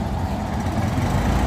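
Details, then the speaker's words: Honda Zoomer X scooter before repair: dull, flat engine drone never climbs in pitch under throttle and won't pull; bogging traced to a clogged, faulty fuel injector after the fuel pump was checked and ruled out. "อ้าวเลยบิดเดิไม่ไปเลยเนาะ"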